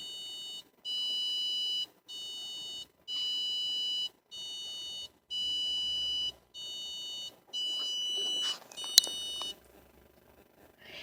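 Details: 2015 Hyundai Accent in park: about nine long, high electronic beeps alternating soft and loud right after the engine is turned off, then silence; the beeping began this week and its cause is unknown.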